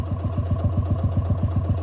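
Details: 1955 Lanz Bulldog D2402 single-cylinder full diesel tractor: slow, even, deep thumping at about seven beats a second, regular with no misses or rattles. Normal running.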